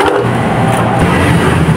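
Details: Suzuki Smash motorcycle after dynamo brushes were replaced and the starter reassembled: engine catches on the electric starter and runs steady and even, no grinding or rasp from the starter drive; the old starter gear was found crushed.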